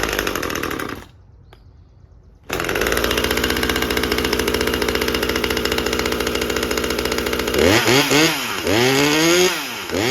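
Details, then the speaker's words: Husqvarna T540 XP Mark III chainsaw, 136 hours and 1500 starts, choke on, test after a pump diaphragm replacement: brief cutout, ragged idle, then revs surge up and down; suspected fuel starvation persisting, unconfirmed. "I'm going to throw a pump diaphragm in there and see if that doesn't help, cuz our issue screams I'm not getting enough fuel."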